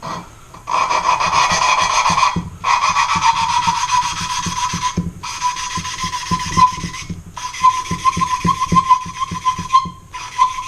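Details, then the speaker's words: Lapping valves on a 360ci engine rebuild for a 2002 Ram: gritty back-and-forth rasping at about three to four strokes a second in uneven bursts, with freshly reapplied coarse compound that wears finer and changes the sound. "You can kind of hear the sound change. This grinding compound is made to start out at a kind of coarse grit, and as you use it, it wears into a finer and finer grit."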